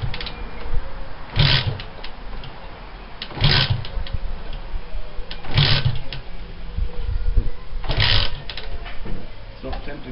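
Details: Honda CG125 (Brazil) rebuild project bike with a new pod filter, carb tickled and a battery described as too flat. First start attempt: four cranking bursts that never catch. Cranks but won't start.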